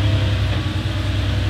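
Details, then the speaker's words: 1989 Porsche 911 Carrera 964, air-cooled, 31 years old, 37,000 miles: cold start, starts every time, then a deep, smooth, even idle rumble with no knocks or ticks; healthy engine. "All right, we're gonna do a little cold start here. Starts every time."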